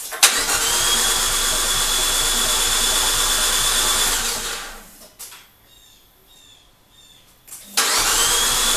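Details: Fiat 500 Abarth engine swapped into a Dallara, unrun for over six months: fast, even cranking near four beats a second that never catches, pauses, then resumes; it sounds low on compression while the empty fuel rail primes.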